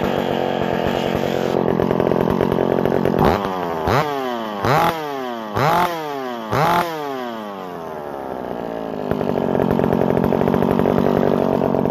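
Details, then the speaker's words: McCulloch SP60 chainsaw after intake boot replacement, leaking impulse line fixed and pinched fuel line corrected: smooth idle, four crisp throttle blips returning cleanly to even idle; runs healthy. "Overall, I gotta say, that is a mean saw."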